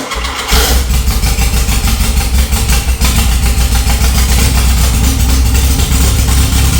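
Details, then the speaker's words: VW Beetle engine reassembled after cleaning, started with a few squirts of fuel and a little throttle: it catches on two cylinders, then holds a strong, even beat on all four with no missing; healthy running. "That was banging on all 4. Definitely running on 4. You could hear it started up with 2, but I mean, there's a lot of stuff in those cylinders."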